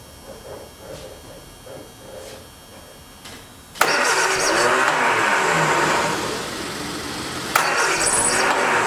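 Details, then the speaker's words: 1979 Triumph Spitfire, sat about 20 years under a carport, cranks steadily at about three beats a second but never fires; suspected dead fuel pump, cause not confirmed. "That fuel pump is not working for some reason. I guess it done took a flying dump."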